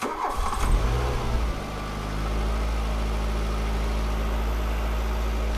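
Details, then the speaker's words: 1985 Volkswagen Cabriolet that sat 10 years, after fuel pressure was let down from 80–90: short crank, catches and settles into a smooth steady idle; starts and runs normally. "Hell yeah. Let's let it run for a few minutes. All right. All right, so we know it starts."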